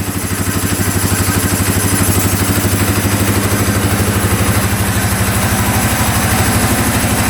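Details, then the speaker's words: 2013 Polaris Sportsman 550 EFI EPS 4x4 ATV fires right up and idles with an even, steady single-cylinder thump, no knocks or misses, after the fault was traced to the red and black power wire at the handlebar switches; the solenoid had earlier been suspected. "I just cannot believe that thing fired right up like that that is a small miracle"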